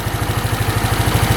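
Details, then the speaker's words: Free non-running scooter after carb clean, where a pinched diaphragm kept the slide from rising, and valve adjustment: quick even putter about 14 beats a second, steady and smooth, no knock or miss; idle runs clean. "Wow. This free machine is running awesome."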